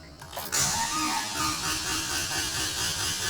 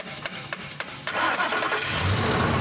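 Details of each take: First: so the engine is not spinning fast enough to get the ECM to say hey it's okay to start Second: No-crank vehicle: the starter body is tapped with a metal extension while someone cranks. A few sharp metal taps, then the engine catches at once and settles into a steady, even idle, started right up.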